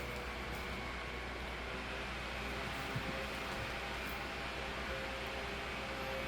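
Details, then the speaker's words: Holmes HDF-1209 12-inch desk fan (2007), after cleaning and servicing, on high speed; a high-rpm 16-inch motor drives a low-pitch 12-inch blade. Loud, steady air rush with a faint even motor hum and no ticks or rattles: normal running. "really sounds like a blizzard fan here yeah not really bad"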